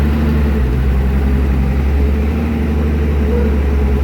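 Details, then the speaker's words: Evinrude 150 Ficht outboard after replacing a burned fuse that caused no power, no crank and no trim: steady low drone with an even, smooth beat, no misses or knocks; idles cleanly. "Now, as you can see, trim works, and also the engine. So let's start it and check it out."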